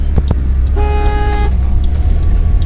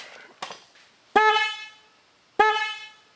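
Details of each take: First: 2007 Pontiac Solstice original single horn, which only works sometimes, engine running: one short thin honk under a second, feeble and lacking punch; weak horn, to be replaced with dual horns. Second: 2007 Pontiac Solstice, first of new dual replacement horns connected alone to the reused original connector: two firm clean honks about a second apart, steady bright tone, crisp stop; horn works properly.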